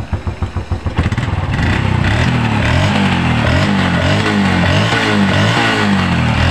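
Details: Honda Revo Absolute motorcycle with dead regulator/rectifier (kiprok), run using a temporary workaround: starter cranks, catches and settles into steady idle with a few light blips; engine runs normally.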